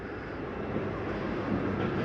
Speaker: I want you to hear that noise, whether the slide's going in or out. It's nothing grinding. That's just the slide mechanism saying I'm in all the way.